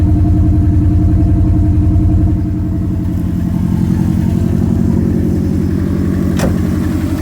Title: SF5 Forester Engine Knocking